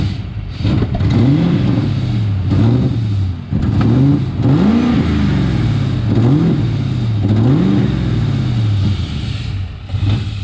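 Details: Engine after an intake manifold install, cranked with clutch and brake fully down: catches in uneven surges, rpm flaring and sagging repeatedly without settling to idle; failed start, cause not confirmed.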